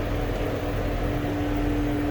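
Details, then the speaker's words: 2008 Mercedes-Benz CL500 (W216) with no heat, dead blower and climate control failing to communicate on CAN (codes 0237, 1437): loud steady air rush and hum of the engine cooling fan stuck on high speed. "you can hear hopefully my microphone is picking that up you can hear the fan is stuck in high speed position"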